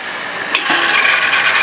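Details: Winnebago Travato van's fresh water pump switched on after being repaired: a click, then a brief rising whir that settles into an even hiss and buzz. The pump now starts and runs normally.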